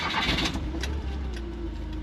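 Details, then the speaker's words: 1980 Fiat 124 that had been sitting non-running ("ran when parked"), first start after a manual-to-automatic transmission swap and getting it running: it catches on the first crank, revs briefly, then settles to a smooth, even idle; normal cold start. "so we're gonna fire this thing up um we're gonna take it back to the owner and get his reaction"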